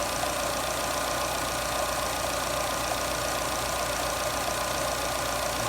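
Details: Jeep Renegade 1.8 E.torQ petrol engine idling during a purge (canister) valve check for rough idle and hard starting: steady, even idle with no hunting or rise and fall in revs. Normal idle.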